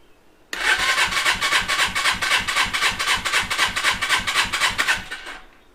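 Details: Custom Suzuki GS450 scrambler twin with idle problem, compression test at full throttle, choke off: steady cranking pulses about four per second, no firing; cylinder reads about 125, low compression.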